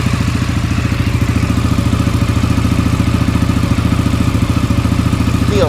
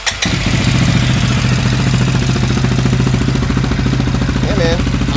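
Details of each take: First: Rebuilt, previously blown-up CFMOTO ATV idling in neutral with the drive shaft not yet fitted; even, fast exhaust pulses with no knocks or misses, running really good, with a slight exhaust leak noted. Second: Rebuilt CFMOTO 400 ATV with a coolant tube leak noted: a steady, even idle with a quick beat, a bit faster than normal; owner thinks the idle is a little high, adjustable via a set screw with jam nut on the throttle cable.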